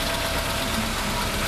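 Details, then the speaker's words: 2007 Fiat Stilo GM 1.8 8v after replacing lifters and rocker arms, warming up: smooth steady idle with only faint light valvetrain ticking, lifters quieting as it settles; normal. "olha só tranquilo leve barulhinho de acionamento de válvulas perfeitinho"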